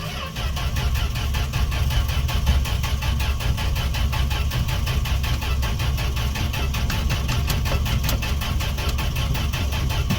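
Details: Fargo D100 (Dodge D100) pickup cold start after sitting all winter, more gas down carb throat, choke on: steady even cranking about five beats a second for ten seconds, no firing; owner suspects no spark.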